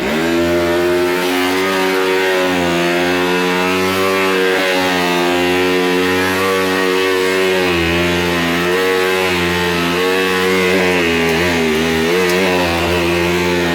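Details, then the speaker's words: 2004 Oreck Hypo-Allergenic Plus XL2 upright vacuum, unused for some time: harsh rapid jackhammer-like hammering buzz over the motor whine that wavers as it runs; brush roll bearing has failed, motor also noisy. "Brush roll bearing is gone. Wow."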